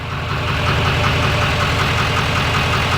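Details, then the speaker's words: LML Duramax diesel, tuned (PPI AutoCal, level four) with an SMB cold air intake, right after an oil change: loud idle with a fast, uneven tick, about two or three per second, over the normal clatter. It is a new noise, source unconfirmed. "there is a tick it's a new noise it's not a tick that normally happens it sounds terrible I'm terrified"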